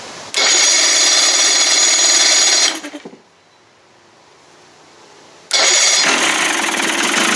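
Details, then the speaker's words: 1989 Johnson Tracker 25 hp outboard on first start after priming, pumping water, warming up: even raspy high buzz that cuts out, fires straight back up and settles into a smooth healthy idle; owner plans carburetor adjustment. "hey runs and she's pumping water it warm up a little bit adjust that carburetor man started right up sounds good"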